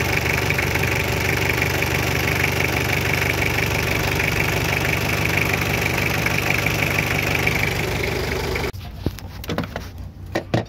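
Diesel clatters unevenly at about two beats a second, wavering and uneven, then cuts out abruptly near the end; rough running with stalling. Cause suspected, not confirmed.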